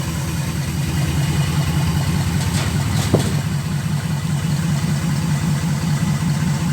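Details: Restored 1966 wide-gauge Bombardier, first start after full rebuild, fuel filter leaking: deep, even idle with steady low rumble holding pace, no knocks or misses; normal healthy idle.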